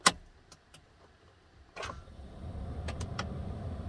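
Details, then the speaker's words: 2009 Toyota Tundra 5.7 with a worsening intermittent no-crank, before starter replacement. One sharp starter click, then a pause before the engine starts; earlier attempts only clicked, the solenoid engaging but its contacts not connecting: starter solenoid click. "did you hear the click from the starter that time it started I tried this earlier and it the starter would just click like the solenoid was engaging but the motor contacts in the solenoid not making a connection"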